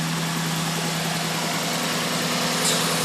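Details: 1992 Lexus SC400 V8 idling with the mass airflow sensor unplugged: steady low hum with slightly uneven pulsing; stalls once the MAF is plugged in, and the owner suspects a faulty MAF sensor.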